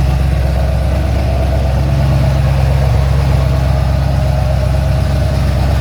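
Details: Ford XC GXL under restoration with a 351 V8, cold and warming up: a deep, steady V8 burble with even firing and no knocks, ticks or misses. A normal, settled idle.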